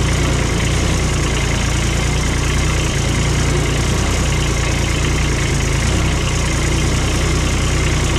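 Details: Cushman diesel mower, bought as scrap with a supposedly bad hydraulic pump and filters dated 19, started after a long lay-up: steady even diesel clatter with strong low rumble and no knocks or misses; the engine runs smoothly and healthy.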